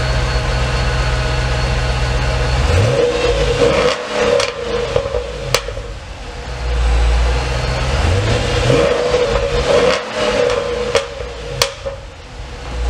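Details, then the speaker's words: Dodge SRT8 Challenger V8 after 100k maintenance, heard from the rear at the exhaust. A deep, lumpy idle with clean throttle blips that rise and fall without stumble, a normal idle and revving. "That thing is mean, baby. She's mean. Listen to that. Oh, it sounds good. She's purring. Purring like a kitten."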